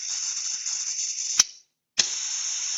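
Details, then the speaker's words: Vacuum cup actuator venturi: steady high airy hiss, a sharp pop and a half-second of silence, then the hiss returns. The adjustment knob was turned counterclockwise until it seated, then directional control valve DCV5 was actuated. Air still bleeds through despite airflow shut off. "all right when I close that completely we've actually shut the air flow completely off now"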